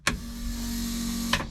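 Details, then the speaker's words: Ford AU Falcon, newly installed boot-mounted fuel cell setup, fuel pump powered without starting the engine: a click, then a steady, even mid-pitched hum for about a second before cutting off; normal fuel pump operation. "fuel pump is on. Don't want to leave it on for too long because I don't want to start the car. But yeah, fuel pump works."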